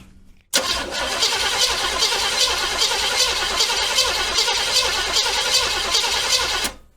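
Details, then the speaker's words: 1979 Corvette C3, heard from under the car after installing a refurbished starter (old one weak when hot) and shimming it, converter cover off: steady even cranking about six seconds, no grinding; starter engages cleanly. "that sounded pretty good to me"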